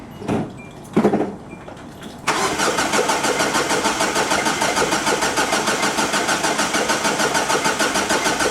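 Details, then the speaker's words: 2004 Hyundai Sonata that died while driving, cranked with starting fluid sprayed in. A steady crank at about three turns a second never fires: cranks, no start. Owner suspects the fuel pump, possibly the timing belt or chain. "almost it sounded like it almost wanted to start so could there also be another problem going on"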